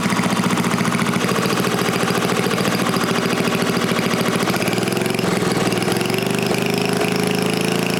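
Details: New-old-stock Briggs & Stratton 5HP dual-shaft aluminum-bore engine, rebuilt, after fixing a no-start caused by the throttle plate closing fully and idle speed set too low; firing fast and even, pitch climbing slightly as it settles, smooth with no misses or knocks.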